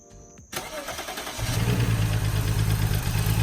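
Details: BMW E92 with N54 engine, first start after valve cover gasket replacement and oil change: brief crank, catches within a second, smooth even idle with steady low hum and no ticking; normal start and idle.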